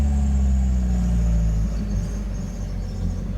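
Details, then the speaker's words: Miata with a new Exedy OEM clutch kit and Super Miata lightweight flywheel: low steady drone on deceleration in 1st with the clutch fully engaged, off throttle. It stops with the pedal in and returns as the clutch is let out. Clutch-area noise, cause unknown. "that sound do that and clutch pedal in sound goes away and then as I slip it back out it comes back"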